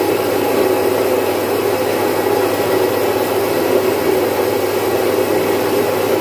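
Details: Domestic stone flour mill, single-phase 1 HP, splitting about 4.5–5 kg of moong into dal in three to four minutes. Steady, even grinding roar over a constant motor hum, with no knocks, rubbing or speed dips; normal running.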